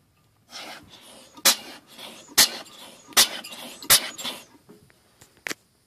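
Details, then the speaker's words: Mazda 13B rotary from an RX-7, flywheel turned by hand with rear leading spark plug out: uneven puffs, front rotor sharp poof, rear weak and breathy; rear rotor low compression from bad apex seals, rebuild planned. "so after pulling off the back leading spark plug i found out the back rotor actually has a bad apex seals which kind of sucks so i'm going to turn the flywheel so you guys can hear it"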